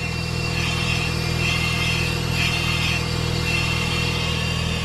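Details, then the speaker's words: 2004 Mazda RX-8 rotary, revived after sitting for years: a cold start fast idle at 1700 rpm with 22° coolant, a steady elevated even buzzy hum with no misses or knocks, running smooth. Normal cold start fast idle. "all right we're reading here RPMs or revs are at 1700 right now because it's cold start"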